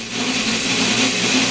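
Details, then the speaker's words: Hayward Super Pump pool pump motor running on a table before rebuild: harsh loud metallic roar over a steady hum from worn motor bearings. "right all right so if your pump sounds kind of like a steel factory you might want to send it back in n"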